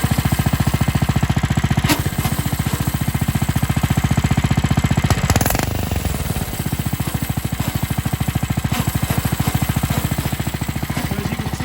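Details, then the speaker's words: New Coleman RTK100 (CK100) 100cc go-kart: engine chugs, then bogs and drops under load as the centrifugal clutch grinds; clutch not properly lubricated from the factory. "okay so you could probably hear hopefully you can hear the grinding coming from the clutch"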